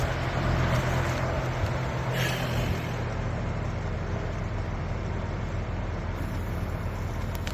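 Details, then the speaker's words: Heat pump switching over to heat after replacing a VisionPro thermostat that would not energize Y with a Focus Pro; low hum, short hissing whoosh as reversing valve shifts, then compressor frequency ramps up evenly — normal changeover. "wait for this thing to switch over to heat you'll hear the reversing valve here in a second"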